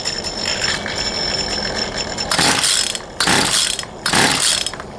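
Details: Poulan Pro 222 38cc chainsaw after rerouting the missing fuel return line: three sharp pull-start bursts, each catching briefly without settling into a run; still won't start, carburetor fuel delivery issue suspected.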